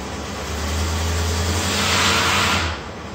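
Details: 1955 Studebaker Speedster under restoration, started after sitting since last June; engine runs with a loud hissy whine over a low hum that swells and drops, power steering pump (rebuilt system) whining from trapped air, needs bleeding.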